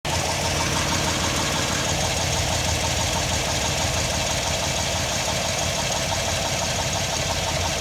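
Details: Chevy LS V8 idling with hollow, loose knock; traced by removing water pump to cylinder 5, piston found rocking in worn bore once head removed; cam and lifters good; piston slap.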